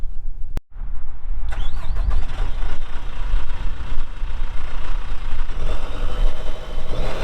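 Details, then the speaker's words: 2018 Dynapac CC5200 double drum vibratory roller, Cummins 135 hp diesel, 6,764 hours, both drums vibrating: deep steady diesel rumble with heavy low vibration, even, no knocks or misses; runs good. "so here in a little bit we'll fire it up and you'll see that it runs good both drums are vibrating as I get up close to them here"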